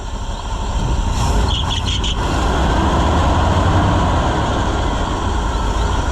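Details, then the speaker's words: Chevrolet C65 grain truck with freshly rebuilt carburetor, running in the shed with the air filter still off after a hard start: deep, steady, even rumble with no stumbles, backfires or fuel leaks. Normal running. "but I think we got her, friends. She's running pretty good. And she's not making any mess other than the mess I made when I poured fuel in it."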